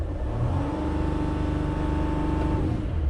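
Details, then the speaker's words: Van showing no fault codes on the scan tool, suspected wiring problem: revs to a steady, held drone that won't climb past about 3000 rpm, faint exhale heard; owner suspects air isn't getting where it should. "So let's see if we can actually rev this thing over 3000 RPMs."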